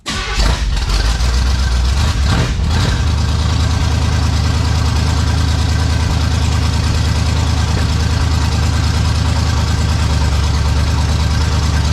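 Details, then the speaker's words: 1971 Chevelle wagon just given a new self-contained fuel system, running on a switch: loud, uneven idle with irregular rumble coming from the back of the motor; cause unknown, owner wonders about a blown gasket. "it has its own fuel system that actually has gas in it and the motor makes that sound i don't know i don't get it here it's coming off the back of the motor"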